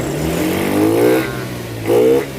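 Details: Honda BeAT FI scooter that stumbled, died and was hard to start: two clean rises in engine pitch as throttle opens and closes, no stutter or cut-out; smooth throttle response, repaired.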